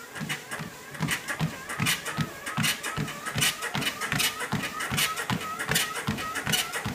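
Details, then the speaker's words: Sole F63 treadmill running at speed 5: a high creaky squeak on every footfall, about 77 steps a minute, from somewhere in the frame. It returned despite lubricating the lowering arm, greasing the joints and taping the bars; source not found. "Yeah, I don't think anyone can run on a treadmill this much noisy. Cannot figure out where that noise came from. It's come from frame, somewhere, but I cannot find out."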